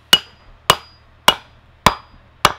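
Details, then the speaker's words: Hammering a mandrel into a new wooden bowl blank for a pole lathe: five sharp, dry, dead cracks without ring, struck until the dry sound shows the mandrel sits tight with no play. "the way until you hear that really dry sort of sound, and make sure that it's sitting just nice and tight, there isn't any play in it."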